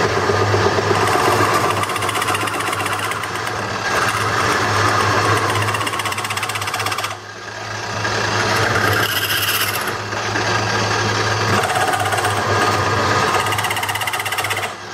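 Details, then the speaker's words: Wood lathe hollowing a wet walnut bowl with a skew: steady motor hum under a rough fluttering scrape about four times a second; turner suspects the metal tool rubbing on wet wood, unconfirmed. "so someone you need to let me know what the hell this noise is cuz it I think these are skews it happens when I use my skews I think it's the metal against the uh against the wet wood"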